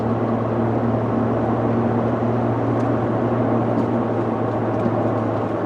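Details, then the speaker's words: 2014 Ford F150 on the road, accelerating to 60–70 mph: a steady low droning hum under road noise that follows vehicle speed, not engine speed, easily mistaken for tire noise; diagnosed as a bad front left wheel bearing. "Yeah, I'm definitely calling that a wheel bearing. It sounds like a front left wheel bearing. It's kind of a droning noise that just kind of carries on with vehicle speed, not engine speed."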